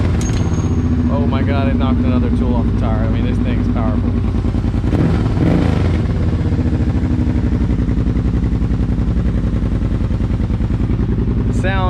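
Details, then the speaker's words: Kawasaki Brute Force 750 ATV with a BigGun Evo aftermarket exhaust replacing the stock muffler: deep, loud, even exhaust rumble with no rattles or misses; engine runs healthy. "freaking amazing i ain't gonna lie it's not too loud where it's like ridiculous it's loud enough to make someone turn your head and be like uh what the heck has he got"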